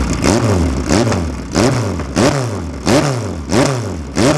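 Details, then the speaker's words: Rebuilt 2.0L Ford Pinto engine in a 1969 Capri, first start, a bit warm, 45mm Dellortos, BP300 Piper rally cam: lumpy rough idle with quick throttle blips, revs freely; ignition advanced a lot, backfiring noted. "it's got a few other bits and pieces including a a bp300 piper cam which is a rally Cam and you can hear it it sounds rough idle but it revs very nicely"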